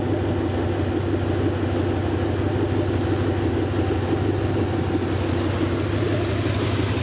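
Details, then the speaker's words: Rebuilt Lincoln 368 Y-Block V8 on an engine run stand, not yet at operating temperature, 70 psi oil pressure, just above 1000 rpm: steady, even rumble with no knocks, ticks or misses; normal fast idle. "we're just above 1000 rpm so we'll go back over and listen to it a little bit more"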